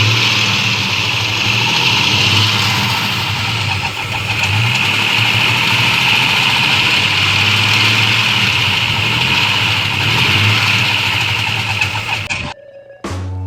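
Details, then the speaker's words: 1992 Ford Falcon EB II engine running loud, uneven and lumpy, firing on only about three cylinders; compression slightly down, spark well above expectation on test; misfire cause not yet confirmed. "you're wondering what all that noise was so did i it was so unhealthy and so unnatural and so much like a ford it also was only running on three cylinders or so go figure huh"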